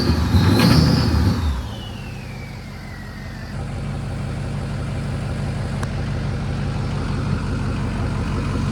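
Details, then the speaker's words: Ford 6.0 Powerstroke diesel, brief rev falling to an uneven, lumpy idle; same misfire after swapping PCM, main harness, FICM and FICM harness; suspected hard parts such as pushrod length or camshaft/crankshaft timing, not confirmed. "I think it's hard parts. It's hard parts. It's got to be push rod length or something."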